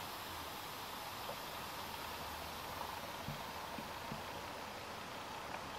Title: Logitech BC950 ConferenceCam - 6 Jahre alt - rauscht permanent (Rauschen als Störgeräusch)